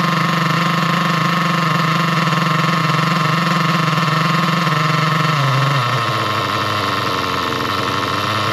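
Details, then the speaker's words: Nitro RC car engine with the low-speed needle leaned in: high steady buzzing scream with wheels spinning, then a sharp pitch drop near the end as further leaning makes it quit and it won't restart. "Yeah, guys. You saw the um wheels start spinning and as I leaned it in even more, the engine just quit."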